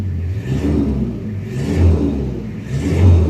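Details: Original-condition 2003 Toyota Kijang Krista diesel heard from inside the cabin: gruff diesel rumble swells and settles on each throttle blip, even and clean, described as the typical Kijang diesel sound; healthy engine.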